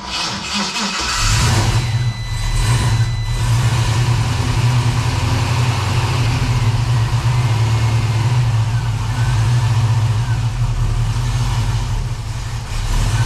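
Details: 1969 Chevrolet Camaro V8, started on a jump box after AC system replacement while charging with freon: steady even idle with faint hum from the engaged AC compressor; healthy.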